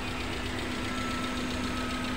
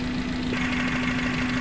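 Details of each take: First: Suzuki Carry Futura pickup at idle after replacing spark plugs and cleaning oil from the combustion chamber: steady, even idle with constant low hum, no lumpy miss; combustion normal on all cylinders. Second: Suzuki Carry Futura pickup petrol engine idling with a steady hum and lumpy, uneven low beat, shaking, misfiring and lacking power; plug wires pulled one at a time to find the dead cylinder.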